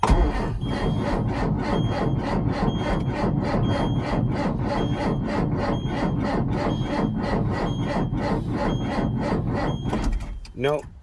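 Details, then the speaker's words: 1999 Ford F800 8.3 diesel, cold start at 17 degrees after sitting a month unstarted: steady rapid cranking beats for about ten seconds with no firing or catch, then the starter stops; will not start. "not gonna start oh well she didn't start"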